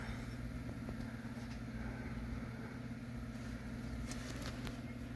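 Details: 2011 Honda Pilot petrol engine idling with a low steady rhythmic knock under the exhaust note; owner says bad rod bearing.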